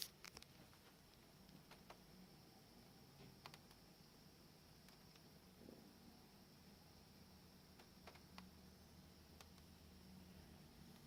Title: Sony Bravia TV clicking noise